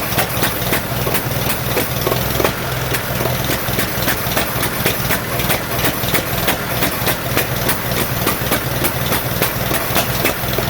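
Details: 1947 Farmall M tractor at idle during first start after rebuild, misfiring on two cylinders: rough, irregular chuffing near 3.5 beats per second with skipped firings, carburetor popping, no power; plug wires later found reversed.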